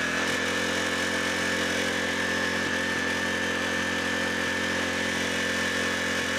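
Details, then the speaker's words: 11 hp Generac engine from a generator with a failed head, no fuel in the tank: screams at a constant high speed with a fixed high-pitched tone; apparently stuck idle control holding the throttle wide open, and owner plans to free the linkage with penetrating oil. "that sounds really fast sounds like that's stuck on full throttle because it has idle control that is stuck"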